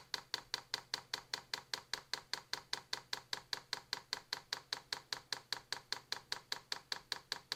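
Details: New Vevor diesel heater before its first start, manual priming by holding the controller's left and right arrows: crisp, perfectly even fuel pump ticks about 2.5 per second on a quiet background. Normal dosing pump priming.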